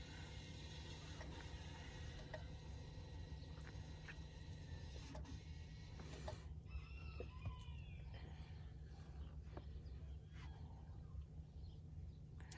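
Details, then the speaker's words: 2017 Ford F150 after front and rear brake replacement, ignition on, scan tool taking the electric parking brake out of service mode: steady low hum then a short motor whir as the rear parking brakes apply; normal. "You hear the rear parking brakes activated."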